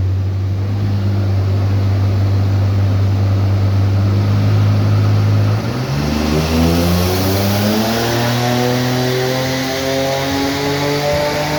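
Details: Car engine on a dyno pulls hard under load, rising steadily in pitch, then stumbles and cuts out near the top: a misfire at 5500 rpm.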